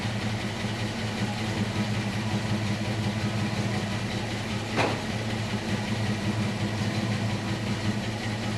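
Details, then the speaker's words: 1966 Ford Mustang coupe, factory 289/302 V8, after repairing holes in the driver's side header primary tubes and new manifold gaskets; steady even idle with deep muffler note, exhaust-leak ticking gone. Normal idle. "the the ticking sound or the the telltale sign of an exhaust leak i don't hear that anymore in fact you can hear the the mufflers now over the sound of the motor which is great"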